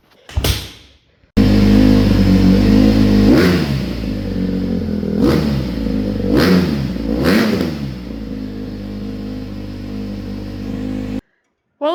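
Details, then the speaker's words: Honda CRF150R dirt bike that sat 1-2 years: it revs up unevenly with sharp blips, then settles to a high, lumpy idle. It idles so high that touching the idle screw stalls it; it still needs carburetor tuning. "fire up, but it still runs like garbage, idles like garbage, sounds like garbage."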